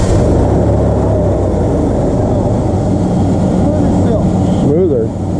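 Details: Durango with P0305 misfire on cylinder 5 (rough running, poor mileage, low power), after plug/coil repair: steady, even engine rumble with no stumble or skipped beats; runs smoother, normal idle.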